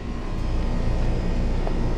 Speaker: Double-check all all of our connections with a screwdriver and should be set. And there she goes.